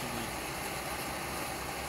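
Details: Pressurized dual-fuel stove burner running on kerosene: steady, even roar with no sputter, pulsing or popping; flame cleaning up to blue, burner running clean and healthy.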